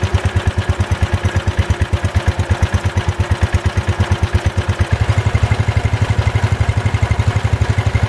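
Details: Ford Model 100 garden tractor (made by Jacobson) with old single-cylinder Kohler, first start-up: steady even thump, no misses or knocks; some carbon blown out of exhaust at first start, carburetor adjusted, charging system working; runs nicely.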